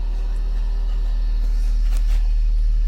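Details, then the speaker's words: VW Voyage with electronic injection, electric fan running constantly, engine just started after clearing codes: low heavy idle drone with slightly uneven pulse about four beats a second; engine shaking and running rough, cause unclear. "tá tremendo um pouco além do Eu não tô sentindo muita firmeza no funcionamento dele não"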